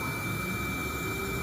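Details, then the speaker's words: 229,000-mile Audi TT during an intake pressure leak check with air fed in at the MAF: a steady, airy, non-pulsing hiss from an intake pipe that has come off. This is an intake air leak. "Give it a spray. Oh, yep, that's definitely a leak. If we look, there's an actual pipe come off right there."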